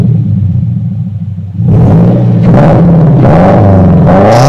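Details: 2015 Subaru Impreza with Invidia R400 catback exhaust (replacing straight pipes): deep, even boxer rumble swelling and falling with each throttle blip, no rattles or misses; healthy sporty exhaust.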